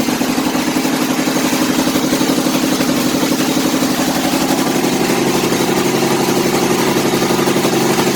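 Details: Kohler Command CH18–CH25 twin-cylinder engine with loud, uneven, lumpy idle around three pulses a second; running extremely rich on one bank, possibly a dead coil. Cause suspected, not confirmed.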